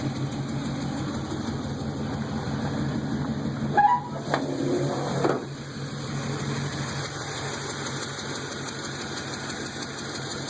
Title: Exhaust leak